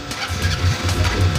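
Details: Honda Supremo 150 single-cylinder motorcycle engine running with a steady, even low thump and no misses or rattles. It runs smooth and healthy, shown in a video about hard starting and lost power.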